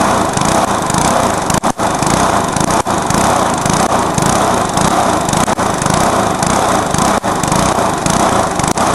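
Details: Briggs lawnmower engine deliberately run to destruction, with nitro added, after a backfire: screams flat out at a high, strained pitch with brief stumbles and dropouts; run past its limit.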